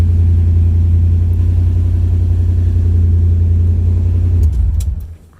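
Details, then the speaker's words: 1951 International rat rod, first start after wiring, some plugs still not connected: deep, steady low rumble with an even beat and no knocks or misses, then shut off; idle sounds smooth and healthy. "I can't believe she's alive. And it's running good too. Saying my seatbelt's not on, but minor stuff."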